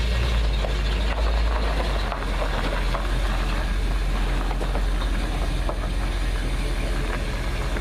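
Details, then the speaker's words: Slammed 1955 Chevy step-side pickup with brand-new engine and transmission, not yet broken in: deep steady rumble, even low pulses about four a second, no knocks or misses; normal healthy idle. "oh I love that sound sounds good sounds good"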